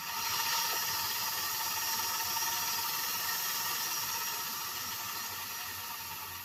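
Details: Hornby A4 model locomotive on test track after clean and repair, before oiling: steady high-pitched electric whirr with even hiss, no catches or stutters; motor sounds healthy.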